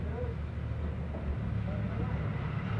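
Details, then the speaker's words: Welhome wall fan that was seized and only humming, fixed by cleaning shaft and bushing and oiling, nothing replaced, after repair: low even hum, steady airflow, no scraping or rattle; normal fan operation. "juga terasa kencang juga pemutarannya bagus jadi tidak bermasalah di dinamo juga bosen nya tidak diganti tak hanya membersihkan dan kondisi tadi macet seret secara Udah lancar kembali"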